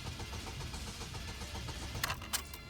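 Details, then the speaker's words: Saturn bought at auction cranks evenly with shimmed terminal but never catches, clicks near end; no start because the throttle blade was obstructed, not a battery issue. "why is it turning over guard gas and not nothing I don't understand this car"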